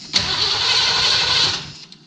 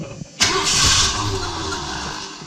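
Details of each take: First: 1978 Ford E150 Econoline given a little fuel after starting fluid; owner suspects it isn't getting fuel because of the tank or a dry, unprimed pump. A short hissy run of about 1.5 seconds that fades out without idling. Starts, then dies. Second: 1978 Ford E150 Econoline van after replacing the starter: engine cranks briskly and evenly with no dragging but doesn't fire; cranking now much better.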